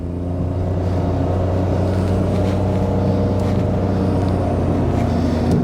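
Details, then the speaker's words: Nissan Micra K13 (March) 1.2 automatic, Japanese import, recorded inside the cabin while accelerating hard on open road: steady low engine drone with a faint, even transmission hum, the classic CVT whine, normal. "don't know how well you can hear that but yeah you got the that kind of classic wine of the CVT it's not quite as whiny as my mom's old Volvo 340 with its rubber bands"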